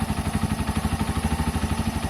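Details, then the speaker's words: Keeway/Benelli 125cc single-cylinder motorcycle, 57,323 miles, after carburettor clean, tune and service: steady even idle putter at about ten pulses a second, no knocks or misses, starts every time and revs strong; normal idle. "come out really nice it's revving strong"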